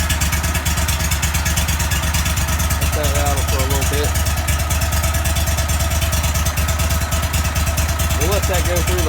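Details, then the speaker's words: 35hp Vanguard V-twin on a Go-Devil surface drive, just after an oil change with two quarts: choked idle with no throttle, steady low even thumping, no knocks or misses. Runs healthy. "all right let's choke the farest thing up here and let idle a little bit let y'all listen to it so we're just going to pull a choke here no throttle just choke it"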